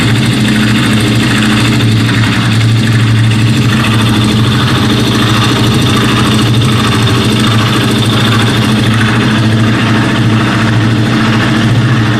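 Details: Suzuki Djebel 200: a regular, odd clatter rides over the steady single-cylinder idle; the cause of the abnormal engine noise is unknown.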